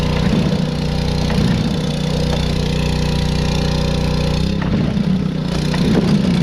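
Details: Two-stroke blower after carb rebuild (ultrasonic cleaned), new fuel line and blown-out reused fuel filter: steady even buzz, dipping briefly midway then picking straight back up. It was shut off by accident, and the throttle cable had come unhooked at the carburetor.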